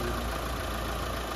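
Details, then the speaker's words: Mitsubishi Lancer 4G15 overhauled after overheating, new engine mounts: low, soft, steady hum with no knocks or uneven beats, so quiet that with hood closed you can't tell it's running; normal idle. "Sobrang tahimik. Pag nakasara yung hood, hindi mo malaman kung umaandar o hindi."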